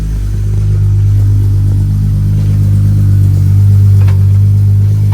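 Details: Smooth, even low hum at idle with no ticking, stumbling or hunting on a VR6-swapped 1984 Volkswagen Rabbit GTI after a fuel system rework; first start after priming, no fuel leaks, healthy idle.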